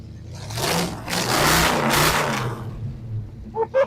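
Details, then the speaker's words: Abandoned 1978 Camaro 305 V8 just revived after fuel priming, with slightly dirty fuel through a filter: engine blips up strongly twice and settles back cleanly, with no misfire or hesitation; running properly. "I thought it was just a 305, man. That 305 come alive. Come alive. Here. So it's running. Nice."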